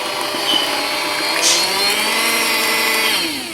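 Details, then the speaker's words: Aldi Ambiano cordless hand mixer on speed three under load: high whining motor can't hold speed, pitch sagging as load builds, unit and battery pack base getting hot; motor straining under load. "you can hear the motor is wanting to go fast but it's not being able to go fast therefore it's um yeah it's I can feel the whole thing getting hot now"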